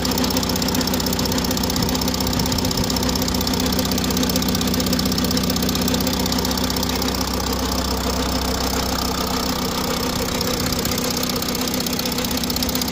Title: audi a6 c8 45 tdi,strange engine noise